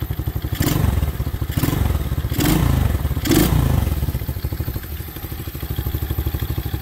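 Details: Apollo 125cc ATV small single after swapping the lean factory carb for a fully adjustable aftermarket carb with jets cleaned and throttle cable custom-adjusted: revs sharply in short blips and drops cleanly back to a steady putter; crisp, healthy throttle response.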